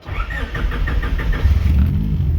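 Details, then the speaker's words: Chevy C10 on a standalone Haltech harness, leaned out slightly and not yet fully tuned: a few quick cranks, then it catches at once and settles into a steady, even idle; a clean start. "this thing fires right up idles like a dream keeping in mind too it's not fully tuned yet either"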